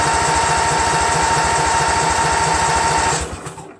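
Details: Craftsman GT6000 tractor, Briggs & Stratton Vanguard 16HP horizontal-shaft engine, after swapping in a second fuel pump; even starter cranking about four beats a second, never catches, then stops; crank no start, no fuel reaching carburetor.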